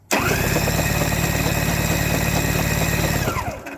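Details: Curbside Toro S-200 two-stroke snowblower, L7T plug refitted: about three seconds of fast, even cranking near three turns a second that never catches; still no start, coil-to-magnet gap checked next.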